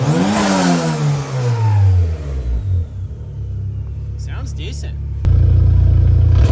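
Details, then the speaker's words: Honda Civic sedan with freshly installed B18 engine and new turbo: revs sweep up and fall away cleanly with a rising whistle, then steady idle; normal turbo spool. "I'm excited I'm really excited to drive this thing cuz you guys heard that turbo just spooling up"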